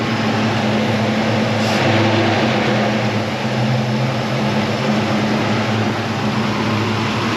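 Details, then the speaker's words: 1977 Chevy Nova Concours V8 after tune-up, following a test drive: steady, even low-rumble idle, no ticking or missing, faint unevenness; owner thinks idle screw maybe needs slight adjustment. Normal idle. "I'm gonna turn it on and I will show you how it works. Maybe the idle screw can be adjusted a little, maybe."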